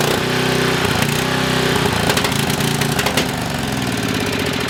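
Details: Coleman Maxa 5000 ER 5000 W generator, small single-cylinder engine: runs loud but uneven, its beat wandering and sagging, then bogs down and shuts off after about a minute; fuel starvation, with debris found in a carburetor needle hole.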